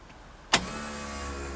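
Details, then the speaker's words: External fuel pump (rated about 50 psi) remounted on insulators, its connector replaced: click at key-on, then steady, fairly quiet electric hum at one pitch; normal fuel pump priming, now much quieter. "so now when I start the car when I put in the on position she'd be able to hear the pump start at least the pump primed"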